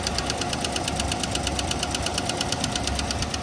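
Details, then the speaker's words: Chevrolet Tahoe 6.2 L L86 V8 with AFM/DOD, power-braked in forward: sharp, rapid ticking over the rumble from a failing lifter, heard at the front cylinders; no misfire felt. "I would like to listen for that noise. I'm trying to figure out which cylinder it is."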